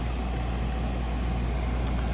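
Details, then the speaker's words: RV rooftop heat-pump A/C unit after the failed original control board (relay hung up) was replaced, running in air-conditioning mode: steady low hum and even airflow, no clicks or rattles; charge appears correct, cooling normally. "So the charge appears to be correct on this. Everything seems to be working."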